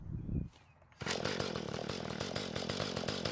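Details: Mantis tiller two-stroke after leaking gas and no-start repair, L screw turned half a turn counterclockwise, tilling dry hard dirt under load: steady buzzing rev while churning; works well after carburetor adjustment.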